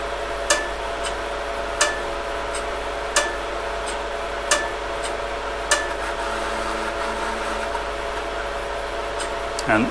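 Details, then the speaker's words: Intel MDS floppy drive unit being restored, running a read test: sharp seek clicks about every 1.5 seconds over a steady fan hiss. The drive steps normally and the test passes. "test is underway and you can possibly hear the drive doing its thing over the noise of the fans"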